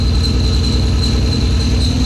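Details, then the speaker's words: 1990 Honda CRX Si on the first start after a DOHC ZC engine swap, an old engine: a rough, slightly loping idle under a constant thin high-pitched squeak whose cause is still unknown. "Oh, it's alive, it's alive! It's a little rough running, but it's running."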